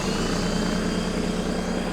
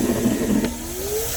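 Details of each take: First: Air compressor (about 1100–1500 W) powered from the bed outlet of a 2023 Ford Super Duty 6.7 High Output Pro Power Onboard in generator mode: steady even motor and pump drone with constant low hum, running smoothly under load. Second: 2023 Ford Super Duty 6.7 High Output Pro Power onboard outlet running a vacuum plus a second load: the motor whine sags under the added load, then climbs back. The inverter is overloaded and can't run both.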